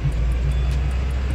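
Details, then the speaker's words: Peugeot 307, driven on road in second then fourth gear while accelerating: deep steady drone with faint pulsing throb and shaking under load. Worn tripod (trizeta) CV joint on the driveshaft, with play in the half-shaft. "Acelera, pode acelerar, irmão. O bicho já tá dando umas tremedeiras já."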